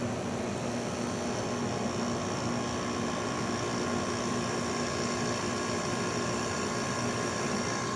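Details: 2009 Haier window air conditioner, cleaned, compressor switched on at default 77 setpoint after not running for a month or more: quiet even hum with faint steady tone, no rattles or knocking; compressor running normally.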